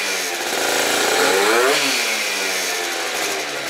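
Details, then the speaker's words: Yamaha Zuma rebuilt with a Stage 6 MK2 70cc two-stroke kit and Yasuni C16 exhaust, on its third heat-cycle warm-up, unloaded before test riding; buzzy note revs cleanly and returns to a steady crisp idle; normal idle and revving. "So, sounds amazing."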